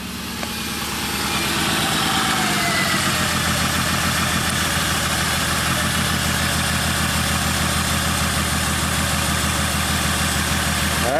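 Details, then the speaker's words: 2003 Honda Odyssey V6 idling with a lumpy ignition misfire after coils were swapped between cylinders; a fuel injector was replaced last year; owner reported shudders on a long trip; a dead coil is found, catalytic converter was glowing red-hot. "so very simple plug them in fire it up still have a misfire"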